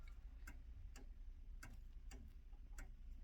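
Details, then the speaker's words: 1890s Junghans wall clock with a Freischwinger-type movement, restored with new mainsprings and 21 bushings, back on the wall before beat adjustment: the tick-tock is uneven with alternating short and long gaps, so it is out of beat. "And set the beat right. You can hear it's kind of a tick-tock, tick-tock, tick-tock."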